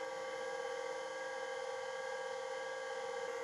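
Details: Plexus P/20 dual-processor multi-user UNIX computer from 1985, hard drive spinning up: steady high-pitched spindle whine, no seek clicks yet, while the controller detects the drive; RPM reads a bit high (should be 3600). Spindle sounds normal.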